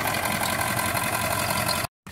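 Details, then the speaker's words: Ford E350 7.3 Powerstroke diesel van finally running after long sitting and injector O-ring replacement: steady even diesel idle clatter, no misses or knocks; very smoky, no oil pressure reading, owner suspects blown oil pressure sensor, purging high-pressure oil reservoir. "and there you have it she's running she I'm pretty sure it blew out the freaking the oil pressure sensor but other than that it's running"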